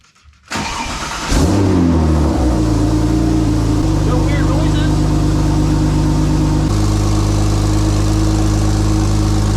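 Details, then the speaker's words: Porsche 997 911 Turbo after DIY clutch work: starts cleanly, steady even idle, smooth engagement into first gear, no grinding or knocks; everything working perfectly. "noises everything sounds good [Music] working perfect"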